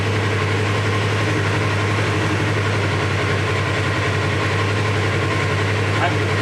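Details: 2017 Polaris RZR XP 4 1000 after a new Alba Racing ECU and a key off/on cycle that cleared the faults and restored headlights: smooth, even normal idle with a steady low drone and no stumbling. A later test drive showed no issues.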